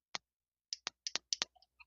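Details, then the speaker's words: 12 V tyre inflator air pump relay tested on the bench with 12 V: sharp dry clicks in small bursts as the coil pulls in, but the contacts fail to switch, so the pump stays off. "ये relay चल रही है और यह भी कटकट की आवाज दे तो रही है लेकिन इसका जो स्विच है वह खराब हो चुका है"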